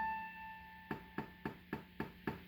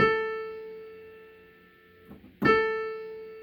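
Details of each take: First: Casio PX-850 digital piano, recently started glitch: each press of the A5 key gives a sharp pop over the note, louder with harder hits; Ab5 same octave also affected. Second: Casio PX-850 digital piano, which pops on A5 and Ab5: after an octave shift the same physical key plays a clean note twice, ringing and fading with no pops. The fault is traced to the synthesis processor, not the key.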